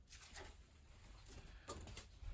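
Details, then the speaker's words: Bosch Varioperfect EcoSilence Drive washing machine (WAT28371GB49) on service spin: faint sharp clicks at uneven half-second gaps with no motor hum; a relay chattering on and off while the drum never turns, motor suspected, unconfirmed. "but uh there's a relay clicking on and off I think I need to get in underneath it and have a look at the motor"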